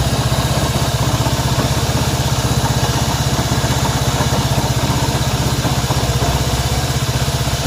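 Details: Honda CB190R single-cylinder motorcycle engine noise at idle: a fast, fairly regular pulsing patter of about four per second over a low throb, cause unclear.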